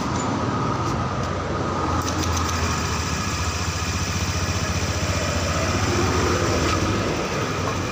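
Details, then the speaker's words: Honda Scoopy fuel-injected scooter after engine rebuild and PGM-FI reset, just started, coolant temperature 47 °C, battery 11.4 V: soft, even putter at slightly low idle, no misfires; normal idle. "udah bergerak putaran mesinnya e masih agak kekecilan tapi udah normal si ini"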